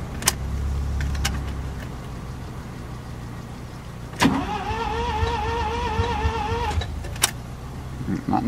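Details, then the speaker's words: First-generation Mazda RX-7 rotary cranking after a swap to a spare N304 ECU: slow, labored crank with a wavering whine that never catches, solenoids clicking and fuel pump heard running; battery needs charging; fuel pump and filter are suspected. "I don't think it'll work right now but makes we got Sol noise going off I hear the fuel pump no yeah I hear the fuel"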